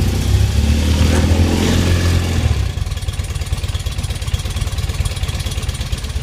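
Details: BMW R80 airhead, first start in unknown years after wiring harness work, on choke: a few throttle blips then steady, even low idle thump about 3–4 beats a second with no misses; healthy running.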